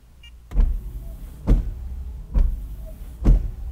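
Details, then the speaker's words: Honda/Acura windshield wipers commanded on and off through a Launch Creader Elite scan tool actuator test: four even swishes about a second apart, each a low thump and sweep. The wiper motor is working normally. "I'll push wiper I'll do actuator test and watch this I can make the wipers go on and off so"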